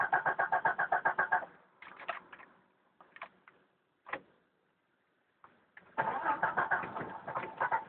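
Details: 1992 Jeep Cherokee petrol six-cylinder, first start of day (cold start, outside 24–26 °C): repeated bursts of even starter cranking, about three to four turns a second, never catching; hard starting, cranks but won't fire.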